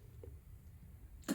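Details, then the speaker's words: Gas hob igniter on a rental property's yearly gas safety check: burners switched off to cool, one crisp spark snap after a faint tick in a quiet room; the igniter clicks normally, checked before the hob inlet pressure test. "So let me just turn these burners off. We'll allow it to cool down, but we also want to make sure that we hear the clicks."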